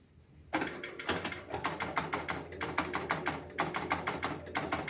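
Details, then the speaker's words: Travel Time pinball after twisting the spoons and adjusting spring tension: crisp relay clicks about once a second while time steps up and a ball serves, nothing locked on; healthy game start. "stepping up our time there's a ball and nothing sounds like it's locked on"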